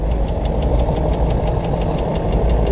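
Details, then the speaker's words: BMW X5 E53 at idle: steady rapid light ticking knock over a rough idle. It appeared right after a VANOS repair and was not present before. The cause is not confirmed. "очень ситуация такая интересная обнаружилось что что-то стучит слышен да так брякает"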